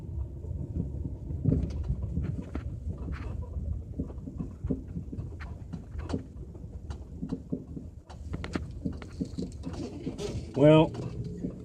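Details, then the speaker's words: L322 Range Rover driving over bumps; dull front suspension clunks and rattles persist after replacing the front lower control arm bushings, suspension feels tighter; worn ball joints also noted, cause still unfound. "this clunking is still present I can tell the suspension definitely feels a little bit tighter there's a little bit of slops been removed and that's just the control arms that have been replaced those bushings but you know what it still rattles"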